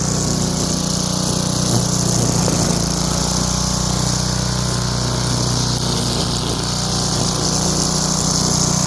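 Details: Craftsman wheeled two-stroke weed trimmer after new spark plug, carb cleaning and fresh gas, choke off, cutting weeds: steady buzzy drone holding even speed under load, no misses or surging; running normally.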